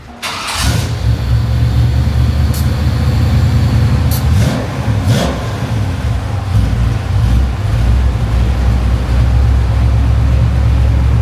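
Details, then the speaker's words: Bagged 1954 Chevy pickup after new Flowmaster mufflers fitted: catches quickly and settles into deep smooth even idle with mellow exhaust note; much quieter, healthy. "That's a lot quieter. Much quieter, eh? Sounds good. It sounds real nice. It's got a nice tone to it."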